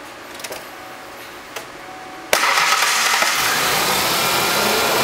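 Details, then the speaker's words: 1996 Mazda pickup (Ford Ranger-based) with a new fan clutch, just after start-up: faint ticks, then a steady hiss of fan air with no roar, much quieter than the old clutch after it calms down. Normal fan clutch operation. "already a lot quieter than it was earlier I had to yell over it the whole time before you hear she just stage down again and that's that's what it's supposed to sound like"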